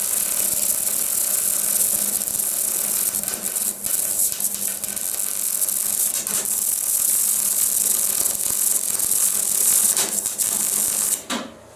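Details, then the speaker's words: Sealey 140 MIG welder on argon/CO2 welding 2mm mild steel: steady crackling weld hiss with sharp pops each time the live gas shroud touches the casing; arcing from live MIG shroud. "and every pit that you hear there is when i touch the shroud to the casing that's a live shroud"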